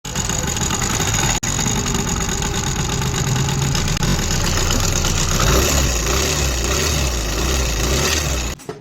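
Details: Motorbike at idle: steady idle with an uneven tapping about four times a second. Abnormal engine noise, cause unknown; an oil pump is only mentioned as a tag.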